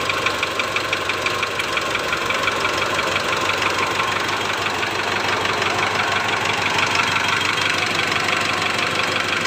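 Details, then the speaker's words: 2008 Mitsubishi Strada Triton GLS diesel at idle: a steady, rattly tak-tak knock about twice a second. Injector one checked and ruled out; disconnecting it cuts the knock about 50%, pointing to piston slap in cylinder one. "jadi Ini masalahnya di piston ngeflek Mister ngeflek ini benturan antara piston dengan dinding silinder"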